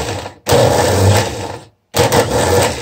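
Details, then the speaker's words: 1974 BMW R90/6 airhead starter motor removed and bench-tested with jumper leads: two bursts of harsh rough whirring as it spins free, sounding dry and grindy; bushings suspected dry and worn, brushes possibly fine, not confirmed. "something sounds really dry though the bushing grindy grindy yeah so this sounds pretty dry and worn"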